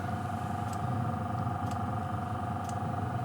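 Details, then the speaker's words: Cheap eBay Webasto-clone diesel night heater at initial startup, glow plug heating the combustion chamber; steady fan hum with a sharp tick about once a second as the fuel pump pulses normally. "it heats up the combustion JMO hope you hear the snow"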